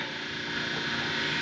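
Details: Spectra Newport 400C watermaker on a Leopard 45 catamaran with newly installed boost pump replacing the Jabsco: steady, even whir with water hiss and no surging or rattle; pump running smoothly, pushing out all air bubbles.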